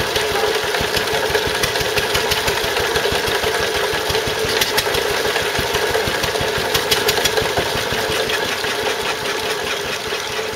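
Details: Stuart Turner water pump (run with Wolseley WD2) after big end bearing replaced: uneven running with a sharp knock about three times a second over the chuff, a leftover knock; source unclear, owner wonders if a valve.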